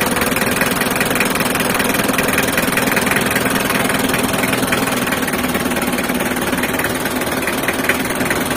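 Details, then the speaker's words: Mitsubishi L300 diesel after replacing cracked cylinder head with older-year head and pistons, valves adjusted, fresh oil and coolant, test run: steady even diesel clatter at idle, no misses or knocks; normal idle. "untuk Tahap terakhir kita tahap pengetesan untuk mendengarkan suara mesinnya kita coba hidupkan mesinnya ya"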